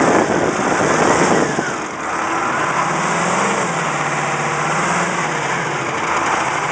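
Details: Caterpillar 3208T diesel in a 613C, after running hours with injection pump over-advanced; fresh injection pump and turbo: idle with uneven knocking rattle, a few per second, less when fully warm, seems to stop with #4 line cracked; owner suspects fuel/injector knock or broken piston/rings.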